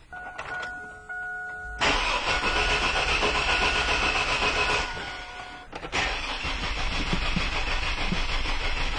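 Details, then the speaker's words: 2002 GMC Jimmy with an intermittent no-start, battery recharged while trying to reproduce the start-then-stall symptom: steady, even cranking at about four beats a second with strong, even-sounding compression, but the engine never catches. "well as you can see I was unable to reproduce the running of the engine in any way so that means I'm going to have to go ahead and treat this with what I have presented in front of me"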